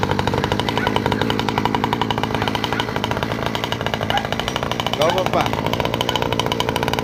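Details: Newly installed 49cc two-stroke ATV engine test run: rapid, even buzzing putter at a steady fast idle, firing regularly without misses; healthy engine.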